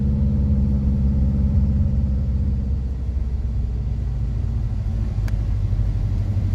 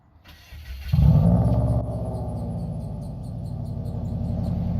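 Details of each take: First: Subaru WRX after rebuild: lumpy, uneven idle with a low rumble that sags and wavers as if about to stall; running rough and needing a tune, with smoke the owner thinks is residue burning off. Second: Rebuilt Subaru WRX, first start after fitting the exhaust using spare junkyard hangers, checked for exhaust leaks: engine catches with a sharp rise, then settles into a steady, even burble with no ticking or puffing; no leak.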